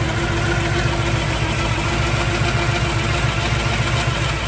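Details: 1971 Chevrolet Chevelle SS, rebuilt 396 big-block with Holley Sniper fuel injection, headers and new exhaust, 400 Turbo transmission, after 4-year restoration: deep, lumpy but steady idle with even exhaust pulse, no knocks or misses; healthy.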